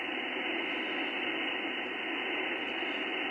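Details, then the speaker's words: HF radio receiver on Mosley tribander antenna, no shack earth: constant flat hiss with no signal, persistent interference noise floor; owner trying ferrite beads on power supply input and output to reduce it. "I don't know maybe not that bad is still workable but it'd be nice to get it down"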